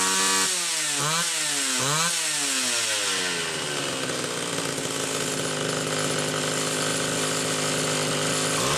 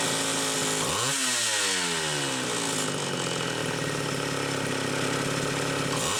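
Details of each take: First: Homelite Super XL two-stroke chainsaw after repair: the carburetor's metering inlet lever spring was stretched about a coil and the high-speed jet tuned slightly rich. The saw blips a few times, then holds a clean, steady high-rev scream, leak nearly gone. Normal running. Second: Mid-80s Homelite Super XL two-stroke chainsaw with a Tillotson carburetor, test run: revs up and down unevenly, hunting and stumbling under throttle. The carburetor leaks fuel because its metering inlet lever spring is too weak.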